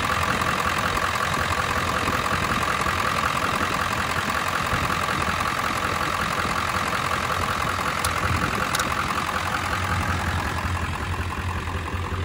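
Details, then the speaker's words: 1999 Ford F250 Super Duty 7.3 Power Stroke diesel, sat for years: runs, steady even low idle clatter with a faint high whine, no misses or knocks; normal idle. "all right she a runner just out of curiosity I want to see if I shut it down if she'll start right back up"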